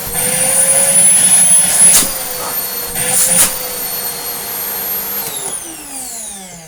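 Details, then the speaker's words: Moulinex E59 vacuum fitted with a replacement Dyson DC25 motor, running at 400 watts: steady high-pitched clean motor roar, then a smooth, slightly odd wind-down at switch-off; speed control changes little. Normal vacuum motor run. "But you know what, that sounds really, really good."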